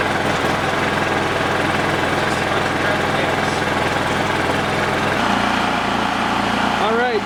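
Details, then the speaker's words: Dad's Honda 3000 generator, running on full choke: loud but uneven, its beat wandering instead of holding steady; the exhaust smells of horrible gas, so the stale fuel is to be drained and refilled with fresh. "it's running but it's only running on full choke but i smell the exhaust and it's smells so terrible like horrible gas so we're going to drain the rest of that nasty gas out and fill it up with some fresh stuff"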